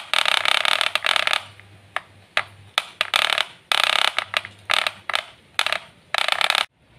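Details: Wahl Super Taper hair clipper making a clattering "kletek" noise before repair: short bursts of high buzzing with a rattle each time it runs. A worn, loose brass drive part lets the blade knock.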